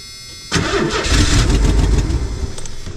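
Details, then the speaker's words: 1990 Ford Econoline van, parked, fuel pressure at rail now some: starter churns fast and uneven, engine sputters as if catching then stumbles; hard start, owner suspects in-tank fuel pump or stuck injectors. "so either I really do need to replace that one in the tank or the injectors are stuck could be so I'm going to mess"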